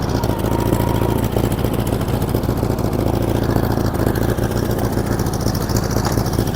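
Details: 1947 Farmall Cub on a replacement engine, the original having been frozen and busted. Uneven, lumpy idle with a beat that drops out every few turns; one cylinder missing because one valve is stuck.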